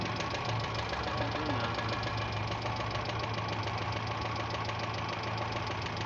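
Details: Renault 9 engine knocking at idle: rapid, somewhat uneven knock about three beats a second over steady idle, deep bottom-end sound; cause suspected, not confirmed.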